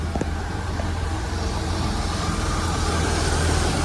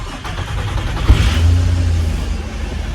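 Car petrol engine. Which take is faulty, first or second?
first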